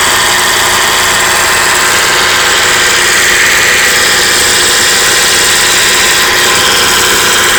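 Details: 1995 Acura Integra B18B at idle makes a harsh, busy mechanical chatter with an uneven tick of about three to four per second, loudest up top; the owner suspects the cam gear area, but the cause is unidentified.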